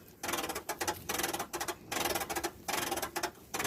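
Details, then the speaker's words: Hand crank on a 2005 Fleetwood Niagara pop-up camper: bursts of fast, dry ratchet-like clicking, then slipping as the gear's teeth have ground off after a snap. "can hear the clicking then there's no clicking the teeth teeth have grinded off the gear when it gave away that was a snap I probably heard"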